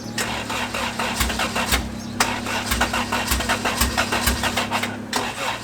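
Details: 1993 Honda Civic EG with a built LS VTEC engine (Manley rods, CP forged pistons, B16 head, GSR cams, old stock injectors, open header) at first start: an uneven, stumbling idle with pops and surges. It sounds like some cylinders are not firing; wiring or injectors are suspected.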